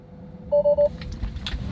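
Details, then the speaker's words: Tesla driven with trunk left open: three quick even mid-pitched beeps over low cabin rumble, repeating then eventually stopping; trunk open warning chime. "but how long does this beeping last we're gonna keep driving and find out"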